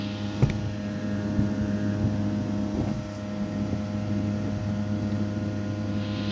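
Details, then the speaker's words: Rinnai tankless water heater showing error code 10: combustion blower motor gives a steady low droning hum with strong loud buzzing vibration, owner suspects worn bearing unable to ventilate properly; blower to be replaced. "I'll go ahead and turn around so you can hear and see what it's doing so you can hear that loud vibration"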